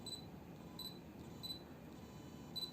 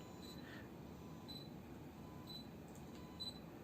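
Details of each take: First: Yongnuo 42.5mm f/1.7 autofocus on an Olympus E-M10 Mark I, hunting against a low-contrast white wall and a desk. Short high electronic whirs with each focus attempt; focus is fairly fast but the motor is noisy for video. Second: Yongnuo 42.5mm f/1.7 Micro Four Thirds lens: faint high electrical chirps about once a second as autofocus hunts on a low-contrast white wall in a quiet room; ordinary focus motor noise, which the seller says is normal.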